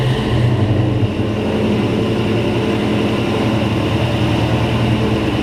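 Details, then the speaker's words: Pontiac Safari wagon 4x4 with swapped L83 5.3 V8 from a 2017 Silverado, TH350, 2.5in exhaust with X-pipe and two-chamber mufflers, on first start: deep, even rumble with a steady firing beat and no knocks or ticks; normal idle. "just by exhaust note alone and feeling the way this thing revs and stuff uh this thing this it it actually sounds like a hot hot motor"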